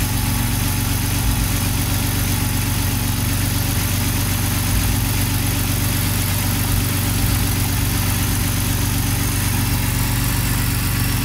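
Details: BMW E60 M54 or E53 M62 with LPG and a sporadic misfire traced to a poor contact at the original Stag gas connector plug. After the fix: deep, steady idle with no stumbles while the wiring is wiggled.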